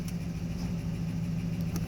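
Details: 2006 Nissan Titan blower on low after cleaning its VBC fan-speed module (PP-TD20), which previously worked on only one speed: quiet, steady low hum with even airflow and no rattle; the blower is now working normally.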